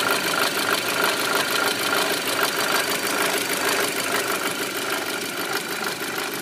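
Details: Audi A4 B7 at idle after an oil change: a rapid, fairly regular light knock rides over a steady idle; cause not yet known.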